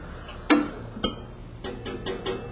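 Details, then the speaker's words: Baker Products band resaw, with the guide raised until it just contacts the blade. Sharp irregular taps, about six in under three seconds, over a quiet run: the guide is set slightly too low and touching the blade. "and as you'll notice there you can hear the tapping sound that tells me that my guide is just a little too low"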